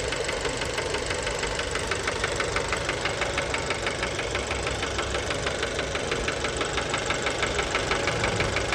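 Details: Fiat Bravo 2, 1.4 T-Jet 150 HP, 215,000 km, recently serviced, recorded close to the engine at idle: a sharp, regular, pronounced metallic knock about twice a second. Worn connecting rod bearings; cause unknown, car scrapped.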